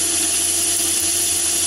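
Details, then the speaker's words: Myford ML7 lathe fitted with the 100 mm (four-inch) chuck, heavy cut fed by hand: steady, even hum from the spindle and cut with no rising squeal or rhythmic chatter; a smooth cut with no vibration. "no vibration at all so it's producing an excellent finish even at that depth"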